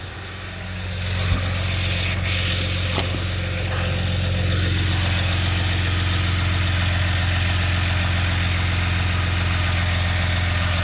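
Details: 2021 Jeep Gladiator EcoDiesel, 18 months old, first start after fuel filter change and air purging: steady, even diesel idle with a smooth low drone, no misses or knocks; running cleanly, no leaks found.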